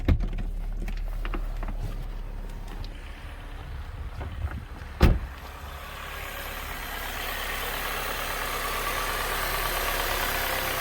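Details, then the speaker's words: Saab 9-3 after ignition coil replacement (new spark plugs) for misfire codes: steady even idle, no rattle or shaking, one brief bang; check engine light off, running smoothly. "i nie słychać takiego mega terkotania jak wcześniej"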